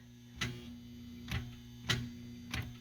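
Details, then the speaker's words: 2000 Toyota Celica that would not start: sharp isolated clicks under a low hum, no cranking; single click, no crank. Owner suspects the starter, with a dead battery also involved; not confirmed. "a click and a vibrating noise so i'm going to try to figure out what that means i pretty sure it's the starter i'm pretty sure it's the starter"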